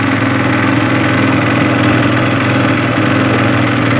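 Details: Yamaha Byson motorcycle with a starter problem, run about 5 minutes to charge the battery, regulator charging normal at 14.31 V: steady, even idle with a low constant hum and no stumbles, rattles or misses; engine running normally.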